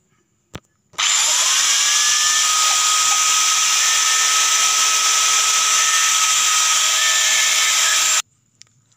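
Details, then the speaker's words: Electric angle grinder after freeing a seized head shaft; clean steady high whine spins up and holds about seven seconds with no rattle or grind, then cuts off; runs normally again. "nah dan seperti ini Lur hasilnya dia mau berputar e normal seperti sediakala n"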